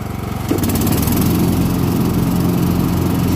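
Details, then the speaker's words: Cub Cadet riding mower, about 274 hours, deck engaged after replacing a burnt belt that had caused deck shaking; steady, even engine drone with no shudder or rhythmic thumping, deck now runs smooth. "but we'll wrap it up and I'll show you there's no shaking that dag"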